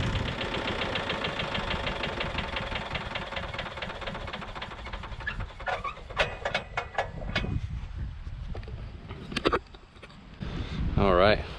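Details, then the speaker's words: Tecumseh 5.5 hp single-cylinder on a yard-sale MTD Yard Machines chipper/shredder, after carb cleaning and re-priming: runs steadily, then bogs and chatters chewing a two-inch branch, dipping but recovering without stalling. "pretty awesome uh about stalled it out there on it was like a two inch branch normally these things are rated at like two to three inch branches but uh it looks like we got some pretty good mulch action there and handled it pretty good"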